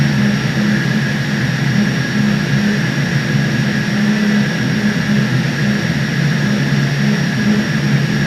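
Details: 1300 TR centrifugal chiller live surge: loud jet-like roar whose low tone swells and drops about every second; compressor surging, refrigerant level checked at the condenser.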